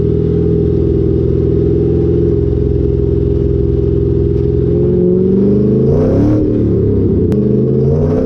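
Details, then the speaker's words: Lowered rear coilovers with the GoPro under the car while driving: steady exhaust drone, then a sharp metallic bang over a bump. The exhaust pipe smacks the rear axle on every little bump. "I don't know if you guys could hear that, but that was the exhaust smacking on my axle every time I go over a little bump."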